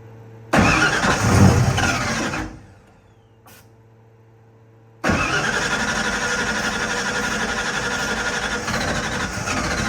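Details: Ford F-150 (362W) with PimpX ECM: starter churns a couple of seconds, pauses, then cranks at length without the engine catching; crank, no start.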